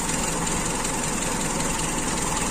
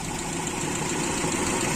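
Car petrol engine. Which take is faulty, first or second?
second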